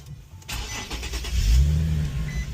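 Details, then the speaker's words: Infiniti QX70 / FX37 during a 12 Volt Solutions remote start install; short starter whir, then it catches and settles into a smooth, even low rumble, a clean healthy start. "Started just fine."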